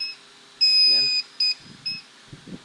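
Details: TBE 500W 12VDC pure sine wave inverter after repair (fault traced to the driver stage) powering up: one long high beep then two short ones, then the buzzer falls quiet; a normal power-up self-test.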